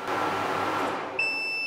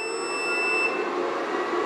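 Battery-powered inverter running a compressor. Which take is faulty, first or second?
first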